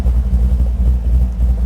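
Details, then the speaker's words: Big-block 540 V8 with a new Edelbrock 850 CFM VRS 4150 carburetor, fully warm, idle mixture screws adjusted: deep, steady, even rumble with a smooth loping beat and no misses, idling normally. "All right, we're definitely up to temp and it's idling where it should be."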